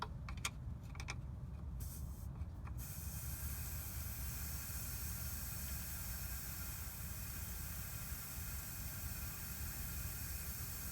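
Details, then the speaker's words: BMW E70 X5 air suspension bag replacement, 10mm wrench slowly loosening an air line fitting at the valve block: a few clicks, then a steady continuous hiss as residual pressure bleeds from the line. "Now this is where it gets a little questionable, so you want to make sure you let the air out very slowly, because there's some pressure behind it. Yeah, you hear it a little"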